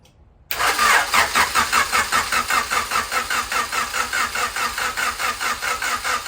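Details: Turbo Honda CB7 build with a new distributor, Hellcat 525 fuel pump and flex-fuel sensor, on fresh oil. The starter cranks evenly at about 2.5 beats a second but it never catches, because a blown fuse left the ECU without power.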